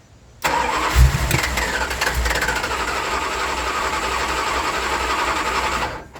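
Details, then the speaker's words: International Scout II carbureted engine, start attempt after sitting six months, on a fresh battery: cranks, catches with a pop back through the carburetor, runs briefly and dies; backfire from fuel starvation at the carburetor. "you saw it pop back because it's about out of fuel hold about halfway okay definitely don't have fuel to it"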